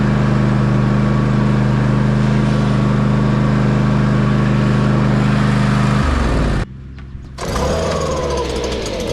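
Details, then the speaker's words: Toro TimeCutter zero-turn mower engine test-run after an oil change (5W-30, new filter) and a cleaned air filter: a smooth, steady single-cylinder hum at constant speed for six seconds, then a clean shutdown, running fine. "I'm going to start it up, make sure everything still runs uh just fine, and then we should be good uh for the rest of the year."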